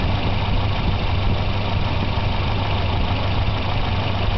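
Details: Volvo 240 idling after replacing wires and intake manifold gasket: low steady idle with a slightly uneven, lumpy beat; better than before but still mildly rough, cause unclear.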